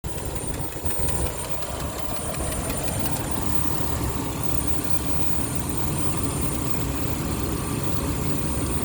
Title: what is this clicking sound coming from? 2003 Jeep Wrangler 4.0 automatic. lifters or rockers or..?